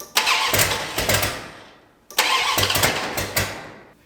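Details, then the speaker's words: 1972 Dodge Dart Swinger with a newly installed engine, first start attempts: the distributor had been 180° out, the carb likely dry, the choke wide open and the timing unknown. Two short start attempts catch with sharp, loud puffing raps, then die. Heavy exhaust manifold leak. "I let off the key. That's an exhaust leak."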